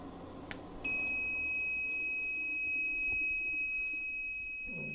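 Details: Reliable 1500 W inverter on four Panasonic 36V ES200G scooter packs with a 5000 BTU window AC: sudden steady high-pitched tone holding continuously, the inverter's low-voltage alarm tripping under compressor load.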